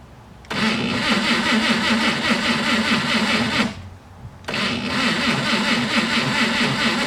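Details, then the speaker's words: Slow cranking from a starter cable voltage drop of about 1–1.5 V under cranking (12 V at the start, about 11 V at the starter): two sluggish three-second cranking bursts turning over slowly with no firing. "right so as you can see that tells me that uh let me it tells me that not enough voltage is reaching the starter hence the reason why it's uh it's turning very sluggishly"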